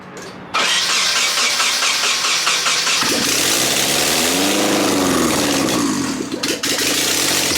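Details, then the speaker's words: Nissan 240SX starting for the first time in 10 months after sitting: starter catches, engine fires raggedly and revs unevenly for a few seconds with no steady idle, then will not keep running; fuel supply fault suspected. "you guys heard like one two seconds of history that should sound crazy it sounded like a [ __ ] Chopper in my car"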